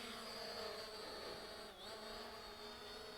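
Steady high buzzing of small propellers that holds an even pitch with one brief dip, so the drone is hovering normally with no beeping.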